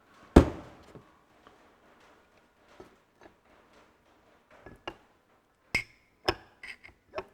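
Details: Ferguson TE20 hydraulic pump, newly reassembled on the bench with the old pistons, turned by hand to draw oil: sparse, light clicks, valves opening and seating cleanly; pump working normally.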